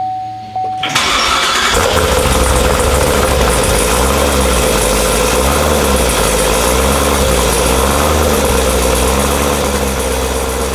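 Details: Cold start of a newly built LT1 Corvette C7 engine with Stage 1 Brian Tooley cam, before tuning: starter catches, settles into loping choppy idle, strimmer whining behind; healthy cammed V8.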